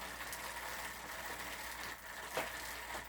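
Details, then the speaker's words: Specialized Hot Rock with new cables, housing and shifter and a straightened hanger: after adjusting the rear derailleur, pedaling gives only a light, quiet chain whir with the chain sitting squarely on the cog teeth. Normal quiet drivetrain. "and see how it quietened it down now so now it's in a good place it's sitting squarely on the teeth here in like a nice spot"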